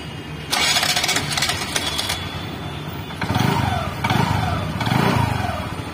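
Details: TVS Jupiter scooter after clutch repair: engine catches cleanly after a short crank, then smooth throttle blips rise and fall evenly with no judder or snatch; normal start and run.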